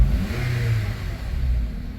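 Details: 2012 third-gen Honda CR-V K24, cold start after actuator gear replacement for morning cold-start noise: cold engine revs up and settles back smoothly, even deep drone with no ticking or rattling; idle expected to drop to 800 when warm; normal revving.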